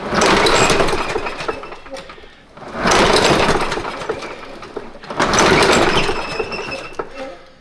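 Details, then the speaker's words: Craftsman push mower, used for about 5-6 years and running rough at the end of last summer, is being readied for the season. Three pull-start attempts give short rattling turnovers that fade without catching. Owner wishes he had a new spark plug or Seafoam and fears it's worn out; cranks but no start. "Okay. Maybe I've run it to death. Maybe I have finally run it to death. It was running pretty rough at the end of last summer."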